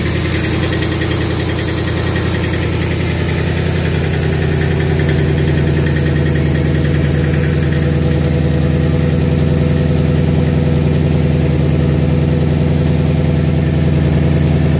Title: Rattling sound